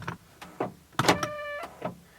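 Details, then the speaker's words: On a car that sometimes won't unlock when in park, unlocking gives a few sharp clicks, then a short buzzy motor whine and another click; locking works fine. A scanner flagged the window module and ABS, and the cause is unconfirmed. "When you unlock it, it just, I don't know. It's like, whoa, don't unlock me. It's like making weird noises, but yeah, I don't know."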